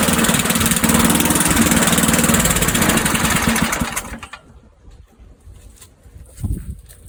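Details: Old Sears Craftsman Eager 1 mower, single-cylinder Tecumseh engine, air filter installed, smoking off; fast, even putter with loud, raspy exhaust for about four seconds before winding down, healthy but noisy.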